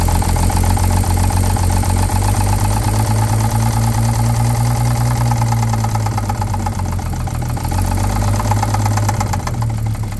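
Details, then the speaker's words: 1950 Chevrolet 3800 one-ton with Chevy 235 inline six, sat since 1977, rough idle with uneven deep knock about three to four per second; persisted after 60% oil additive treatment, which only slightly raised oil pressure: worn rod bearing knock. "so naturally we used the full 60% and uh it did not remove our knock"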